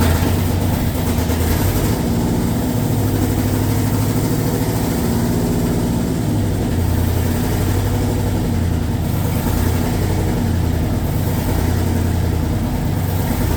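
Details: LS2 V8 in a 1967 Corvette, just started for the first time, cold on a default map before operating temperature: deep steady idle, even low rumble, slight lope, no stumbling; normal cold idle.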